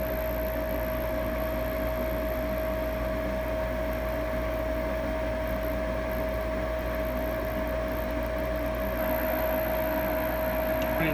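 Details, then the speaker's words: Lennox Elite G51MP 90-plus attic furnace, new combustion draft inducer motor replacing the roughly 8-year-old original that was noisy and worsening; quiet, steady constant-pitch hum with no rattle or scraping, much quieter than before. "but it appears we've got success the motor is a lot quieter"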